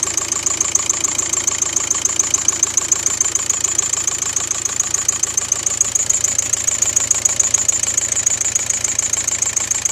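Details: VW Golf 5 TDI 105 diesel at idle after camshaft and tappet replacement: sharp regular ticking about three and a half per second over the engine; top-end knock appearing since the repair, cause not confirmed.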